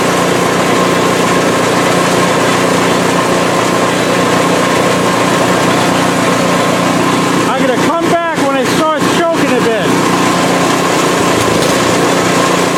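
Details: PowerSmart 24" snowblower in its ninth season, first start for 2024–25 winter at about 50°F, run on the sidewalk then left running to burn off fuel; small engine holds a steady, even buzz with a brief clatter midway, running smoothly and healthy.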